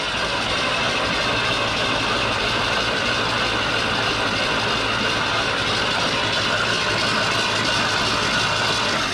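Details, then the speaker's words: 1970 Ford Mustang Mach 1, unstarted for about 40 years and feared locked up, being cranked to blow out Marvel Mystery Oil: steady, dull churning with no firing and no clear compression beat. Slow cranking, no start. "so wait is it spitting out all the the marvel and other stuff yeah that's the thing right now so it should be spin it over and just blow all that crap out of it"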